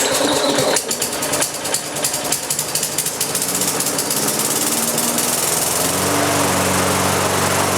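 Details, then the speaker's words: Propane-converted lawn mower with added small pressure regulator: sputters unevenly as fuel valve is cracked open, then on opening fully the governor brings it up to a steady, even governed speed and holds it. "you're just cracking the fuel open just enough to get it to sputter and fire up and then you can immediately turn it wide open and the fuel pressure regular takes over the governor on the engine sees that extra Fuel and it comes up and sets the RPM at the right spot so you still are fully govern and whatnot"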